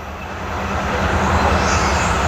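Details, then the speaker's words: 1980 Chevy Monte Carlo parked since 2010, running just after its first start in 14 years: low, smooth V8 rumble that builds slightly and settles, with no valvetrain ticking or tapping; healthy. "It's just going to bark right off. Nifty. So it's just going to start and run."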